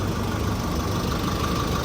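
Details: Chevrolet Colorado Z71 2.5 diesel, 5-speed manual, after repair of in-engine noise and shaking when releasing throttle: smooth, steady idle with even low rumble, no misses; road-tested an hour with no problem.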